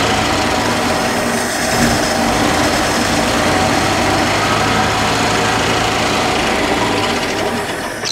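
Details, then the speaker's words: 1962 Dodge D300, off the road about 34 years, gas poured in the bowl: rough, busy idle for several seconds, then sags and dies; fuel line dry, fuel pump not pulling fuel, pump deemed dead. "yeah I don't think we're pulling fuel I don't think we're pulling fuel guys"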